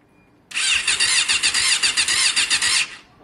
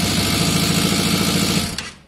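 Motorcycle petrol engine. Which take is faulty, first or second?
second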